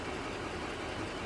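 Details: Chevrolet 2500HD 6.6 Duramax diesel idling after gasoline-in-diesel-tank fix, left running a while; steady, even diesel clatter with no stumble or misfire; engine settled and running normally.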